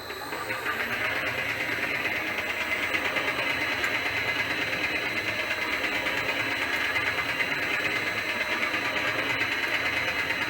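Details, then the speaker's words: Elliot 14S machine on first power-up after restoration, drive running at 50 Hz, gearbox gear lubrication uncertain: whirring drive noise with a pulse about three times a second, not evenly smooth; pulsing, cause unclear. "It's pulsing as well."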